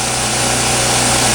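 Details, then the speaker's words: Champion generator after tune-up for surging, running in a trailer with an air compressor load: steady even buzzing drone, no hunting, smooth and stable. "as you can see it's not hunting and pecking it's running rock solid nice and smooth"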